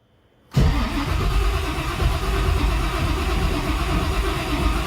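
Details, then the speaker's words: 1955 Chevy project with new EFI build, fluids just filled, checking for coolant leaks before first start: starter spins the engine at a smooth, even rhythm with no knocks or grinding; normal cranking. "sounds pretty good okay that sounds pretty decent actually"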